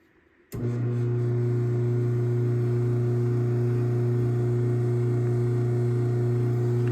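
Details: Craftsman 139.53930 garage door opener test run after programming its wireless keypad: motor starts with a clean thump, then settles into a steady, even hum with no grinding or knocking; running normally.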